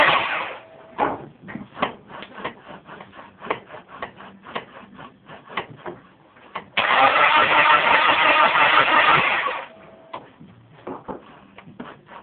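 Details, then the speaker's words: Turbo Talon 420A turbo engine with a persistent no-start despite many attempted fixes. The starter cranks in steady bursts, about three turns a second, with no catch or firing at all; it cranks but won't start. "This is the no start."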